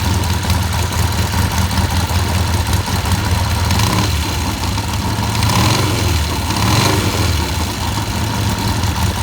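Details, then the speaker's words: Vintage British motorcycle, run to confirm it works before teardown and painting (a battery is suggested for dependability): a strong, even engine beat holding steady with small swells in revs, no knocks or misses. It runs and sounds good. "Does run, and it sounds good."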